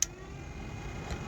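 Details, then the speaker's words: Toyota car air-conditioning blower switched up to a higher speed setting: steady, even airy whir with faint hum, no ticking or scraping, more power but not extreme; running normally. "It's now giving high power, but it's not an extreme power, but it's a little bit higher."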